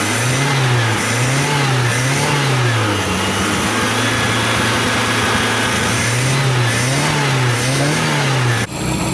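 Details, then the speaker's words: Car engine after a carburetor rebuild and removal of its CNG kit, with timing set roughly by eye: engine revs cleanly up and back down in repeated even throttle blips, catching smoothly each time with no stumble; runs healthy. "Mas de qualquer forma o motor já tá funcionando bem ala D um toquinho devagar no acelerador só para mostrar como ele ficou legal tá uma maravilha agora"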